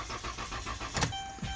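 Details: Car whose starter was replaced for a no-start, with a 2.4 V battery jump-started: the engine spins over at a steady six pulses a second but never fires. It is a crank-no-start, not a no-crank fault.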